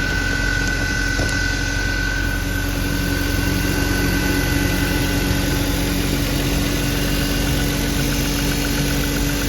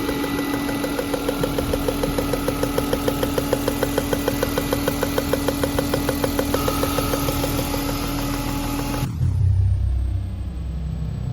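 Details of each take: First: BMW E36 M3 after repair, idling smoothly with no ticking, tapping or thumping; the ticking was caused by a loose spark plug, fixed by tightening the plugs. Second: BMW E36 M3 at steady idle with a sharp, even tick about three times a second over the fifth coil, varying with RPM; suspected loose number-five spark plug leaking compression.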